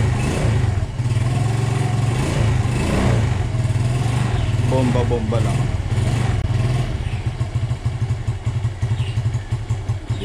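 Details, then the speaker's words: Suzuki Smash 115 motorcycle, warmed morning and afternoon and not used to choke starting, starts on one click and settles into an even, regular idle without stumbling or knocks; normal start and idle. "Eto, dahil pinapainit ko tuwing umaga at hapon pag hindi ay tumatakbo at hindi ko sinasanay sa choke start."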